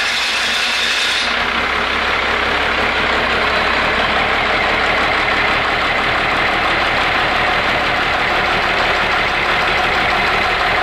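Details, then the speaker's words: 12-valve Cummins diesel on a test stand, low lift pump pressure found, fuel bled, fuel shutoff held open with a strap, throttle closed: steady rhythmic cranking about three and a half beats a second, no firing; won't start. "so I haven't got it to fire yet and I've got a tarp strap hooked up to the right spot now before I didn't and now it's opening my fuel and leave that throttle alone"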